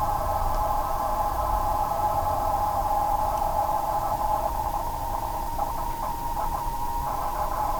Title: Corsair GS600 PSU strange noise